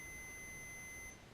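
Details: 1966 Ford Galaxie 500 engine, distributor timing check with continuity tester: steady high beep for about a second, then cuts out as the breaker points open; points closed and conducting until they break.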